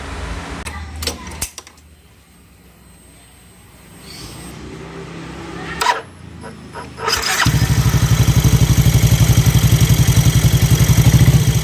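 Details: Yamaha NMAX scooter engine idling in neutral with a rough, loud, regular tick-tick. The cause is a worn rocker arm bearing: the rocker neck wobbles, not just a loose valve adjustment.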